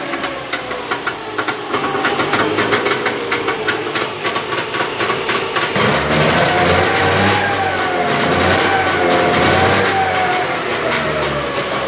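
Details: Trabant Tramp (Kübel) two-stroke twin on its first start, smoking: crisp, rapid popping at idle, then a smooth rise in pitch as it revs freely. Normal running.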